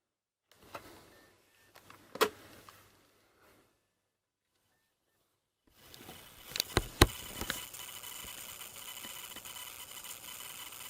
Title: dell laptop coil whine